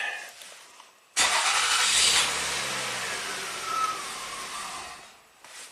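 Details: 2004 Toyota Avalon, 1MZ-FE V6, with clicking dash, flashing check engine light and cold-start stalling: with the clicking relay, apparently the fuel pump relay, pulled, the engine runs a few seconds with a rough hiss, then dies; stalls after starting.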